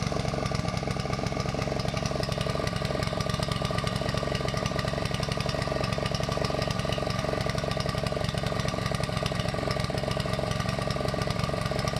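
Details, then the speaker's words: Honda GV150 engine just rebuilt, transmission not yet fitted: lumpy, unsteady running that won't settle when idled; owner suspects choke, ignition fault or coil, unchanged spark plug, or fuel filter. "après air est aussi un défaut d'allumage ou à la tête de la bobine et j'ai pas changé la bougie"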